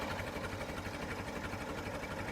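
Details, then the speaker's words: Late-1955 Farmall Super MTA diesel tractor, recorded up close at idle: even, rapid chugging beat holding steady with no misses or extra knocks; normal healthy idle. "I just love the sound of this thing idling. Get it right up close so you can hear it."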